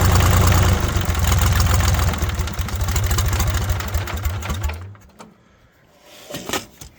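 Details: International 284/285 diesel 4x4 tractor, long neglected, first run with ATF in system: steady deep even chuffing then winds down; runs pretty good, white and black smoke from the ATF.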